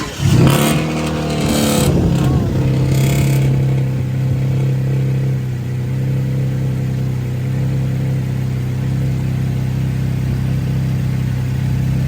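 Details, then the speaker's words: 2011 Cadillac CTS running after a water pump replacement and coolant refill: after brief handling noise it settles into a steady, even low hum with no knocks or misses. Running smooth. "that's what I need my [ __ ] to sound like that's go that's some all that cooling don't get scared when you hear that it's not broken she on there man running [Music] smooth"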